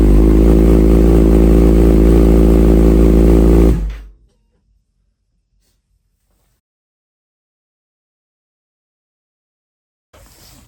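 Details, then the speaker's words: Rebuilt salvage Kawasaki Ninja ZX6R after a new fuel filter: starts right away and idles quickly and evenly before shutdown, though gasoline smell is strong and the exhaust is still smoking; normal idle. "all right guys as you seen it started up right away it does smell like gasoline in here terribly terribly bad and just as you can see the exhaust is still smoking"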